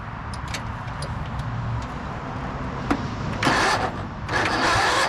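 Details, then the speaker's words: 1997 Craftsman II 30-inch rear-engine rider, 13.5 hp Tecumseh single, after fixing the no-crank electrical fault with jumpers; runs at a steady, even beat with no stumbling or knocking, running normally. "but yeah we have a good runner and I'd imagine this thing would drive just fine"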